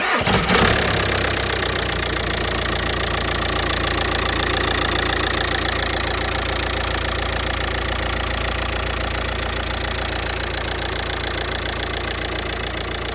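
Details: Audi A3 8P 2.0 TDI (BMM engine) starts and idles with a steady knock about three or four per second over the diesel clatter; source of the knocking unknown.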